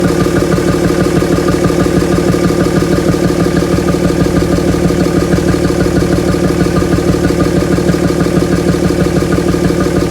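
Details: 2007 Dodge Ram 5.9 Cummins diesel idling with a heavy, lumpy, uneven pulse about three times a second, odd exhaust sound; started a month ago, with intermittent fuel rail pressure sensor, MAP sensor and overboost codes; owner wonders about blow-by, cause unknown.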